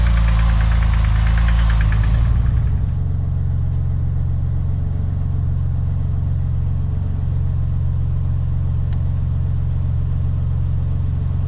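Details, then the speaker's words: Porsche 996 Turbo, twin-turbo flat-six on stands, previously with an intake air leak noise and unstable idle; after the fix it starts and settles into a steady, even, smooth idle with no hunting or surging: normal idle. "Donc, ce que je vais faire, je vais la démarrer pour voir si elle tourne normale."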